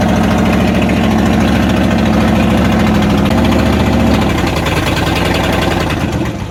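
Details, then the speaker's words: 1994 Dodge Ram 1500 318 (5.2L) V8 after rodent wiring, vacuum line and fuel pump sending unit repairs, catalytic converter missing: loud raw open-exhaust idle, slightly roughening at times but runs on its own; bad wires or clogged injectors suspected. "So it's hard to tell how it really runs because the exhaust is wide open. But that's a running truck for under $1,000."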